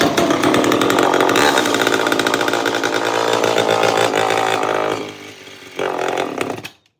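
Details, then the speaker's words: Large old chainsaw with good compression: screams at high revs but wavers and stumbles, drops and surges back before dying; getting fuel from the carb but needs mixture tuning. "Sounds like she needs a little tuning, but >> she's getting gas from the car, baby. That means that's good to go. Dang. Yeah, she needs a little tunage."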